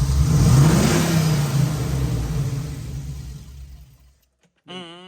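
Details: Dad's Jeep, just back from the tuner, roars at full throttle, then revs fall away after release and it dies instead of idling; the fuel pressure gauge reads sporadic, and a regulator problem is suspected but unconfirmed.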